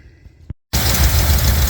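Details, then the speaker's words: Classic truck V8 with the AC components removed from the engine bay, first running under its own power: after a brief pause it settles into a strong, even, smooth low idle rumble, healthy. "all right as you can hear uh this motor's back alive the AC stuff is gone out of the way for now uh she's running under her own power finally"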